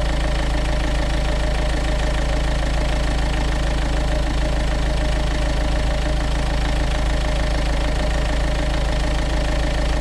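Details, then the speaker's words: Renault Kangoo 1.5 dCi diesel after accessory belt change and oil change: steady running with even low rumble, no squeal, chirp or slap from the belt; healthy and smooth. "Je vais te mettre un ou deux coups de gaz pour que tu vois bien que je suis pas en train de t'ébaratiner, que c'est du costaud. Voilà. T'entends le VR6 là?"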